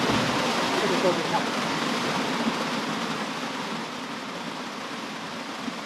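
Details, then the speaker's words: DIY hydroelectric penstock at a flow test after the valve was opened. Steady, loud rush of water easing slightly, with no knocking or surging. Normal water flow. "That's a lot of water. We're hydro mining for the remainder of the pipe."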